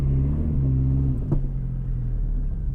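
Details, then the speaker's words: 4G63 DSM-swapped AWD Mini Cooper on its first test drive in snow, untuned: low engine drone with one sharp heavy thud; a loose rear lower control arm mount slams against metal under braking and acceleration, first thought to be suspension flex. "I'm getting some like I think that's the suspension flexing"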